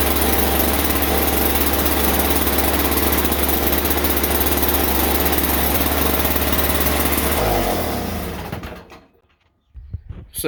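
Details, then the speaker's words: Toro Powerlite two-stroke single-stage snowblower started on a warm day after starting-fluid spray; loud, harsh single-cylinder buzz at a fast steady beat then dying out, engine flooded, left to run out of gas; earlier no-start traced to a loose spark plug boot. "wow that flooded up it's really loud"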